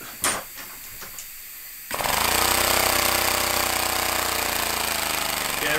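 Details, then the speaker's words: Homemade compressed-air engine in a vise, throttled by a pressed button: after handling noise it settles into fast, even chuffing with a steady beat and no knocks, almost idling; normal idle and revving. "so you can almost idle it and then oh stop"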